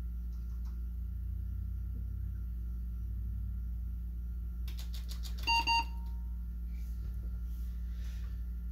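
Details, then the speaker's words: Older desktop PC, AMD 64 X2 5000+ with 1GB DDR2, first power-on: over steady fan hum, two short high beeps as the board reports system fan failure (possibly the case fan) and device configuration change. "the fan is spinning on the cpu and we got a beep and whoa error system fail system fan fail device configuration change"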